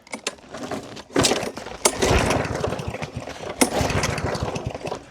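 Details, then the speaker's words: Yardman 139cc OHV 22-inch mower with carb jets drilled out to 3 mm: scattered pulls and sputters, then a weak, uneven catch that barely holds. Hard starting with no start unless fuel is sprayed down the intake. "There is zero startability on this at all."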